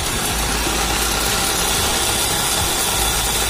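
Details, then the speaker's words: Older car's AC running at idle: dense hissing whir with a slight coarse growl from the compressor; fan motor not running, and the AC is not cooling. "Oke, ini agak ngorok, teman-teman, ya. Bunyinya agak kasar dikit kompresornya."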